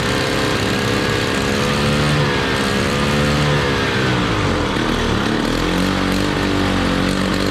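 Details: 1968 Ski-Doo Super Alpine 370 opposed Rotax two-stroke, first start in two years at -23°C: rough running with the buzz wandering up and down. It won't settle to idle and needs choke constantly; the belt smells burnt.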